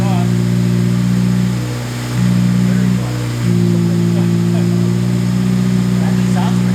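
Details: Honda K20-swapped CRX after exhaust quieting work, temporary tip left on; steady, even idle with a couple of smooth blips and no ticks, knocks or rasp; engine sounds healthy and fairly subdued.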